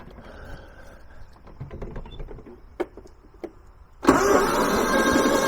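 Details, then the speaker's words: Kohler 15 hp engine on a Husqvarna lawn tractor, spark plug wire reconnected, possibly flooded: quiet clicks then sluggish dragging crank that never fires; battery lacks power to turn it over, fuel smell noted. "now i should have fired so we definitely have not enough power to jump it over"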